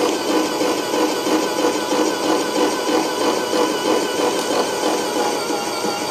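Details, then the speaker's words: Airless paint sprayer pump running in prime with water on the recirculation valve: steady rhythmic chatter about three knocks a second is normal hopper vibration, absent with paint or suction pipe fitted. "okay so that vibration you hear that ch ch Chong is generally the hopper vibration with water in it it won't do it with there's paint in there"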